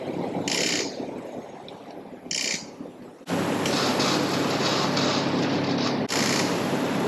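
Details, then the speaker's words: Yamaha Raptor 50 ATV on an old dusty battery: two short cranking bursts, then a longer sluggish whirring crank that never catches; slow cranking and no start, blamed on weak battery power and a poor connection. "oh it's cranking off of its old dusty battery right now"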